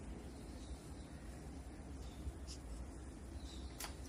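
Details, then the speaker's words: Samsung side-by-side refrigerator RSH1DTMH after repairing a noisy fan, reassembled and running: only a soft, even low hum with a couple of faint clicks, no fan scraping or rattle; noise resolved, running normally. "foi resolvido ok a geladeira sem nenhum barulho"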